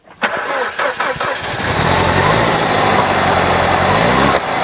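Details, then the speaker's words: R56 Mini Cooper S N14 engine just rebuilt after catastrophic failure, airbox off, a mistake during rebuild makes it run badly though timing still matches: cranks, catches and runs with uneven, stumbling beat and irregular knocking about four per second; misfire, suspected too much air. ">> No, no, no. It's It's making weird noises, man."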